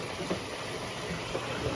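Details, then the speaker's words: Whirlpool Duet Sport front-load washer running after a broken shock absorber leg plastic piece was refitted with tape and tie wraps: steady drone, water sloshing, drum shaking, no banging; normal wash cycle running. "as you can see the whole thing is shaking which is normal i believe"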